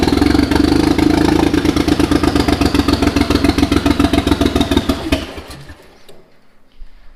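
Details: Mitsubishi 3000GT VR4 twin-turbo 6G72 V6, new engine first start: uneven lumpy idle, irregular pulses around 220 a minute, stumbles and dies; owner says timing way out, suspects something unplugged, not firing on all cylinders.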